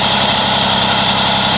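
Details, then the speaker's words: Moby two-stroke scooter idling after the variator was refitted with a 4 mm shim replacing the too-thick shims: loud, even buzz with no clicking or rattle. Variator side-to-side play and rattle are gone, a normal idle. "I have no side to side play I cannot feel any I can't hear any click um and as you can hear from the difference in this video to the first video in this thread uh you don't hear that rattling noise anymore as well"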